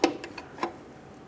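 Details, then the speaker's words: 2001 Ford Ranger XLT 3.0L rear drum brake adjusted after new wheel cylinders, adjuster tool turning star wheel through rubber cap hole: four crisp ticks under two seconds; clicking means shoes moving toward drum correctly. "hear the clicking, you know you're going the right way. I can start to hear it already."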